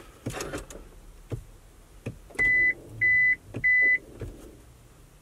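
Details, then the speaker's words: Push-button start automatic car won't start; pressing the ignition button gives three even beeps about half a second apart with no cranking, a no-start warning. Driver wonders if it's the battery. "well when you press the ignition button nothing happens it makes us lose noise so I'll know if it's gonna put like battery or what"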